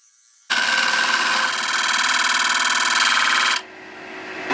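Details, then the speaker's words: Wood lathe part working loose while hollowing a bowl's interior: harsh fluttering scrape, about four pulses a second, as it rubs the bowl's rim. "Ça, c'est un autre défaut de ce tour. Il se dessert, donc là on entendait un bruit bizarre parce que ça frottait le bord de mon bol."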